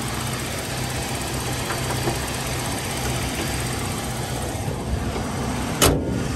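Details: 2003 Toyota Kijang LGX 1.8 EFI petrol, manual RWD, first owner, dry engine bay: quiet, even idle with soft injector tick, no knocks or misfires; sounds healthy.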